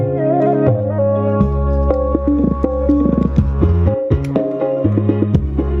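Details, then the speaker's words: ACR Fabulous 15-inch speaker with 3-inch voice coil after coil replacement and re-gluing, bass boosted, crossover on mid; clean music with firm bass, no buzz, rattle or crackle: normal speaker playback. "Oke, nah suaranya sangat jernih ya."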